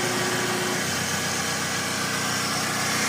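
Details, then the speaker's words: Toyota Previa previously with no idle and hard starting, after repair, started without throttle, A/C switched off: even, settled idle with smooth hum, no hunting, dips or stalling; no longer dies, normal idle. "So ngayon Ayan na hindi na siya namamatay"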